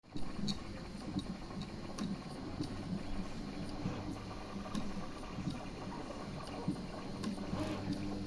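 A faint, regular light tick repeats about every three-quarters of a second over a quiet hum, but nothing prints; cause unknown.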